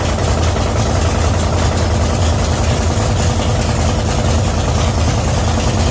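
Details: 1966 Chevy C10 rat rod idling after an oil pump adjustment and distributor refit, timing not yet checked with a light: steady, even low rumble with a smooth beat that never stumbles; clean, healthy idle.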